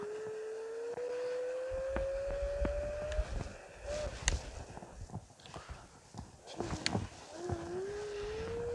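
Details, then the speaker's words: Electric scooter that sat broken for six months, test ride after rewiring: a smooth hub-motor whine climbs and settles with speed over light road clicks and knocks. The motor pulls cleanly under load, a normal ride. "он едет ну что ребята он едет"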